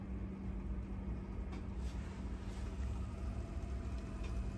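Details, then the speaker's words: Teac cassette deck after replacing the noisy old idler tire with a new one: smooth steady low hum through fast forward, rewind and playback, no scraping or ticking; normal quiet idler rotation. "Fast forward. Rewind. Playback. And now playback is fully quiet."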